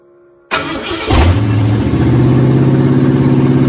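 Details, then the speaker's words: 1977 Ford F-150 with 351W V8 from a 1985 Bronco, first cold start after fitting BBK 1515 shorty headers, no exhaust fitted: brief crank, then loud, lumpy, rapid burble at fast cold idle through open headers. "alright guys so i'm about to do my first initial cold start haven't heard what it sounds like so you all be the first just like i would all right this is open headers i don't have my full exhaust brand yet"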